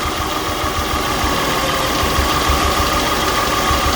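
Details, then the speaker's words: 2003 Acura TL V6 with codes P0300, P0301, P0303-P0306 and P1399, misfiring despite brand new spark plugs: idle rough and stumbling once a good coil is unplugged; one coil's unplugging changed nothing, revealing it as the dead coil, then replaced. "Brand new spark plugs, but it's still puffing and misfiring. Look what I found. If I unplug this coil, engine does not change the way it's running."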